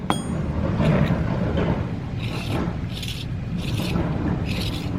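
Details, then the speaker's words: Audi R8 V10 with a new aftermarket wheel bearing on the hub, spun by hand: a scraping rasp that recurs about once per turn. The dust shield between bearing and hub is unseated and rubbing; owner unsure whether it is the aftermarket unit or not pressed in enough. "it shouldn't be doing that essentially the shield right here between the bearing and the hub is not sitting properly so i don't know if it's the fact that it's an aftermarket unit or it's not pressed in enough"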